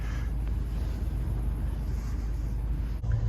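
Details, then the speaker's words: Chevrolet Avalanche 2500 with the 8.1 big-block V8, cold start in snowy winter weather: a deep, steady low rumble at idle, even and unbroken, with some wind buffeting the microphone. "just listen to that cold starter that 494"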